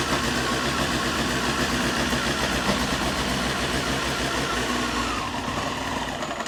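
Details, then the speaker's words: Rebuilt Honda CBR954 Fireblade, first start after six-month rebuild: engine catches, runs unevenly with a ragged stumbling beat, then dies; owner suspects fuel delivery, fuel later confirmed reaching injector inlet pipe. "I think it's fuel I think I mean I put quite a lot of fuel in there but it's fuel"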